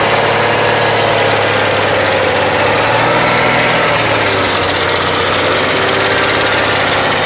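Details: 2001 VW GTI Mk4 VR6, swapped engine with 120K miles and timing chain done: constant fast tick keeping pace with revs; shift rod bushings fine, found to be a collapsed intake-cam lifter that wore its cam lobe down.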